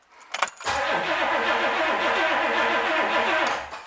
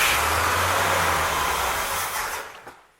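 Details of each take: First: 1964 Pontiac 389 after rebuild, cranking before first start with oil pressure showing: steady, even rhythm for about three seconds, no firing, knocks or grinding; normal cranking. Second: 1964 Pontiac 389 V8, freshly rebuilt, first start: revs hold briefly after throttle, then sag and fade as the engine stalls, starved of fuel because the electric fuel pump wasn't turned on.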